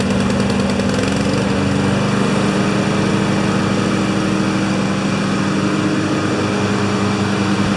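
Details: Two Honda mowers after a tune-up (blades sharpened, oil changed, spark plugs cleaned, new air filters, wheels oiled): droning together at a steady, even pitch with no misses or surging; both running smoothly.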